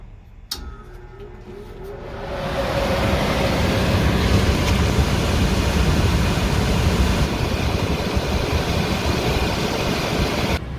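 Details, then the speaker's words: Indoor AC blower motor starting when the door switch is engaged manually, clogged dirty filter removed, 87 degrees indoors: a click, then a smooth rush of air building over two seconds and holding steady; the blower starts and runs normally. "I'm going to manually engage my door switch once I do that the blower motor should turn on"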